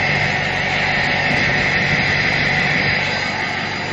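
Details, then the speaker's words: 2006 Ford F-550 4x4 6.0 L diesel idling after a drive, listened to from outside near the exhaust: a steady, loud, jet-like rushing hiss over an even idle. Owner suspects a plugged catalytic converter; not confirmed. "So, I'm pretty sure that that um catalytic converter is uh plugged up."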